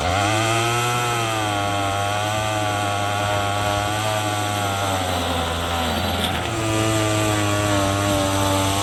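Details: Troy-Bilt TB22EC two-stroke string trimmer, a no-start after sitting unused, running after a primer bulb replacement while trimming weeds: a steady high buzz holds even speed with a brief dip and recovery, running cleanly and smoothly.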